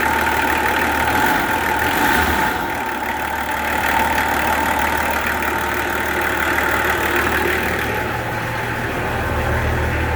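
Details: Nissan LD28 diesel in a 40 series Land Cruiser, not run for years, now running: steady, even diesel clatter at idle with no misses or odd knocks; running healthy and smooth.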